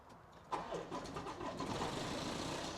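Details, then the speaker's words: 2017 Land Rover Evoque diesel, about 40,000 miles, bought with suspected engine failure, oil topped up: catches after short crank and settles to an even idle with no knock or tapping, no oil light; some smoke, turbo oil suspected. "oh that don't sound too bad that don't sound too bad at all got no oil light on"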